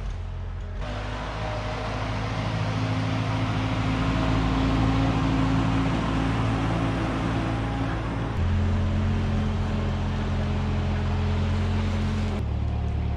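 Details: 1946 Ford 2N tractor, flathead four, after head gasket replacement: steady low drone, pitch stepping up once under way, no knocking or misses. Normal running.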